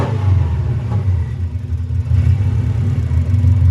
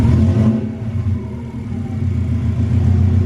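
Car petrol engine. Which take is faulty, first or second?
first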